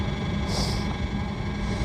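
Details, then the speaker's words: RV Hydro Hot burner after DIY annual service, running with a steady, even roar and constant low hum, no misfires, leaks or rattles; normal operation. "it sounds like steady operation with no misfires or anything"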